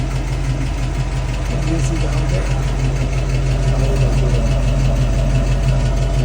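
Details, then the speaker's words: 1966 Mustang after half-shaft bearing replacement, rear disc brake conversion and differential maintenance, previously noisy rear left wheel: steady low engine hum in drive, no whine, growl or rumble from rear axle; nice and quiet, engine may need adjustment. "nice and quiet I need I think I need to do some adjustments in my engine"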